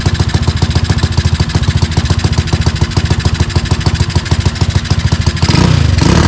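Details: Tao Tao ATV with a newly installed 250cc engine, puffing some black smoke: lumpy, uneven thumping about two hundred a minute that barely swells when revved; rough running with poor throttle response, owner suspects the air-fuel mixture.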